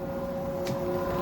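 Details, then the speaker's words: Samsung WD11M4453JW 11 kg front-load washer-dryer after loose-drum repair: smooth, even spin with clothes inside and a steady motor hum, no knocking or thumping; running 100% normally. "já tá funcionando centrifugando com roupa dentro CTO paradinha só barulho dela funcionando mesmo ficou 100%"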